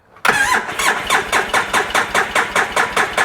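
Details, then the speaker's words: 2010 Polaris RZR 800 S, rebuilt engine just installed, cranking with fuel pump disconnected on a jump pack (battery 9.6–10.7 V): even, strong chuffs about four a second without firing; good cranking compression. "just turning it over, trying to build some pressure. Definitely sounds like it's got pretty good compression though."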